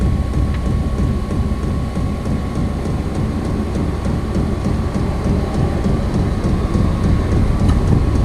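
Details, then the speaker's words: Vevor 5 kW 12 V diesel air heater on first start, level 1 of 10, powered from a battery. Fuel smell as it winds up to a jet-like roar with low combustion rumble and faint even pump ticking. It lit and runs normally. "I smell fuel I think it's fixing a start it's winding [Music] up sounds like a jet engine fixing take"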